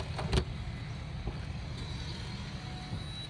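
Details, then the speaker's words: Karris Isata 3 24FW motorhome auto-leveling: the hydraulic jacks beep while operating, leveling side to side and front to back. Steady low pump drone with a brief click at the start, even and unlabored: normal hydraulic leveling operation. "this is Deeping cuz it's operating so we're going side to side left to right and forward back"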